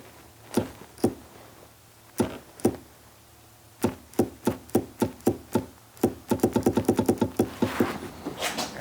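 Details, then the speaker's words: Third-gen Camaro IROC hatch pull-down latch assembly with replaced motor, 7 mm bolt removed to free the switch: sharp clicks with each press, some in bursts, no motor whir; switch works but motor doesn't run, cause not yet found. "I'd be more concerned if I wasn't hearing anything activating there, but hearing something activate every time I press it means that switch is doing something"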